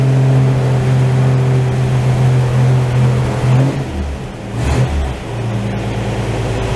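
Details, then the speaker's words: 1949 Chevy truck, old six with carbs, sat three weeks, cold start at 32°F after cranking with ignition off, choke set and three pedal pumps. Fires on choke, settles into a steady low rumble after a brief dip: normal cold start. "Alright, I'm going to set the choke, turn the ignition on, let's see what happens."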